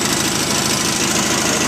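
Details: 1973 Terra Jet fitted with a replacement single-cylinder engine from a Craftsman lawnmower, throttle on a snowmobile cable and choke on the console: runs with a steady, even, busy clatter and no misses or surging after starting right up; normal running.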